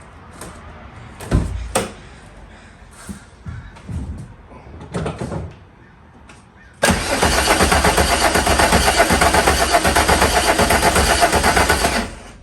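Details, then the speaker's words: VW Mk2 Jetta with swapped VR6, cranking after fitting brand new injectors and a used starter; steady beat about four a second for five seconds, never fires; crank no start caused by a fuse-box plug left unplugged. "once i had or once we had pinpointed the fuel injectors and i had to change up the starter in order to get to that point we had to che"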